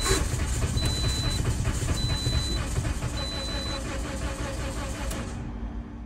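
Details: 2009–2013 Toyota Corolla with intermittent no-start that ran briefly, then died; random misfire codes stored, spark present. The starter cranks steadily at about two beats per second but it never catches. Low compression in all cylinders from a failed head gasket.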